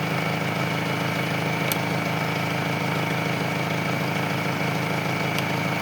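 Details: Car after low-battery jump start, alternator charging at 14 volts: smooth, even idle with steady low hum, no stumbles or knocks; engine keeps running with the battery terminal removed, confirming the alternator charges.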